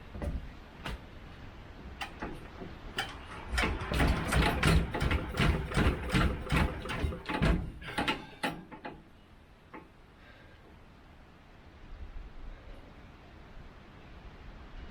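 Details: Petter AC1 diesel engine on Kango generator, probably late 1970s, unrun for years outdoors, just above freezing; hand cranked with suspect decompression lever, slow even thumps about 2.5 per second, never catches.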